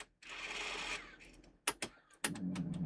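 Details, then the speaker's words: Sony DTC-750 DAT recorder being repaired (corrosion found inside); empty test cassette with no tape loaded, close pressed: brief motor whir, crisp clicks and low steady hum as mechanism threads; transport works properly. "It's threading up. And it's saying close. Right, obviously it can't find any tape, so it's not saying nothing."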